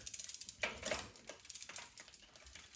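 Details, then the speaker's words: Schwinn Continental during restoration, rear derailleur shifting while the wheel turns forward: quick, light freewheel ticking with a crisp clack as the chain moves to low gear; gears change cleanly. "See how far over we can go. Got low gear. So that's pretty good."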